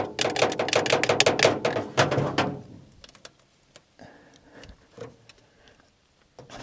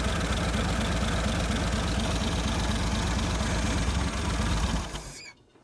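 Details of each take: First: 1950 Nash Statesman unrun 23 years, plugs in, cranking on 6 volts: slow laboured cranking about three beats a second, then quits without firing; engine stiff, so a 12-volt battery was tried next. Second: 1950 Nash Statesman, first run in 23 years, on 12 volts via jumper cable after 6 volts cranked too slowly: even steady idle with a clean regular beat, no knocks or misses, then clean shutdown; running healthy.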